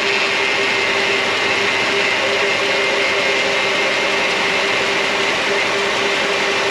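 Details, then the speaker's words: 2006 Mercedes-Benz CLS500: steady mid-pitched power steering pump whine over an even hiss, quieting down after topping up fluid that was a couple ounces low; normal pump once level reset. "cool the pump is uh quieting down a little bit it's nice to reset that level"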